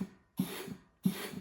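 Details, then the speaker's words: Turbo 400 transmission with manual valve body, forward clutch air test: two short air blasts each with firm thump as clutch applies and holds; after a few tries it seals every time, transmission hydraulically good. "Had to release it a little bit, but now she seals every time. So, I'm going to go ahead and take it off. We've just tested it. We know hydraulically this transmission works."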